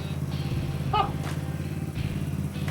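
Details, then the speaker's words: Minico Trail Jet/Dixie mini bike (Honda Z50-like) with a freshly fitted small single-cylinder engine, carburetor, CDI and regulator, started without choke, throttle cable connected: steady, even putter with no misses or knocks; idling normally. "Oh, yeah. Hooked up throttle cable, too. That sounds cool."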